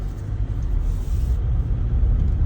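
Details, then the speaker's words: 2016 Toyota Camry on test drive after replacing the damaged electric power steering damper: only steady low road rumble, no clunks or knocks from the column; steering now quiet and normal. "and as you can see the sound has gone away no more of this noise see that and that is the issue of the stainway dumper that was damaged a lot"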